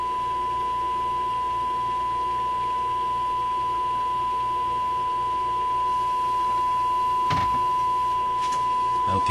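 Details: Sparton 5 tube radio first powered on restricted power after a change, signal generator into antenna during alignment: clean steady tone around 1 kHz with only faint hum; radio works properly.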